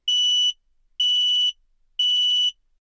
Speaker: And if carbon monoxide is leaking in your home, this is what it sounds like.